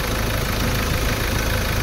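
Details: 2016 Ford Ranger diesel after replacing the EGR cooler and injector washers, which had caused white exhaust smoke, coolant loss and dipstick smoke. Steady, even idle clatter with no misses or knocks; no smoke from the dipstick.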